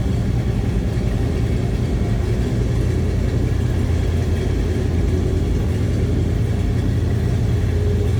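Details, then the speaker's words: 1976 GMC Sierra Classic C1500 pickup with numbers-matching 454 big-block V8 and Turbo Hydramatic 400 automatic: deep, even V8 burble at idle with a steady low rumble, no misses or knocks, sounds healthy; normal idle. "oh that big block s sounds healthy"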